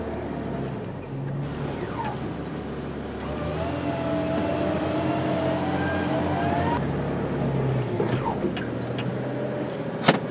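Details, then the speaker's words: 4x4 held at high revs on the hand throttle while winching off-road, smoking from the exhaust: engine surges and dips, catching and faltering as it struggles to draw fuel; fuel starvation sputter. "you'll also see all the smoke coming out of the exhaust as the car splutters as it struggles to bring fuel up to the engine"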